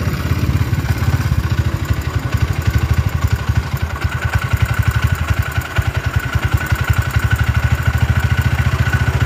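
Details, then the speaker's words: Honda GL motorcycle at idle, the cam chain tensioner suspected: pulsing beat that rises and falls by itself and never stabilizes; surging, unstable idle, cause suspected, not confirmed. "Nah kalau kita dengarkan suaranya nahah lonjak-lonjak ke sendiri keceil sendiri"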